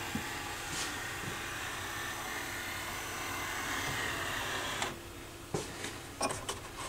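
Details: Sony PS-FL7II linear-tracking turntable after reassembly with belt and grease work; the door opens with a smooth even motor whir for several seconds, then light crisp clicks as it settles; door motor working normally.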